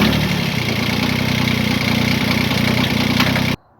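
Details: Kubota B7100 diesel tractor on new cheap 51R battery, cold morning around 32°F: steady, even diesel clatter at constant idle with no misses or knocks, then shut off; normal cold idle.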